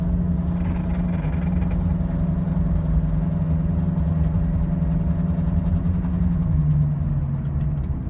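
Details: Car slowing from 45–50 mph on an off-ramp with shaking: steady low droning hum with faint tone sagging as speed drops, a worn wheel bearing; louder when turning away from the bad side.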